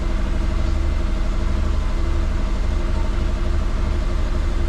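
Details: Twin-turbo Subaru Forester, injector issues, after checking spark plugs (oil found; cylinder 1 injector confirmed working): lumpy, uneven idle loping about twice a second, sounds like running on 3 cylinders; misfire, cause unconfirmed, still sounds the same.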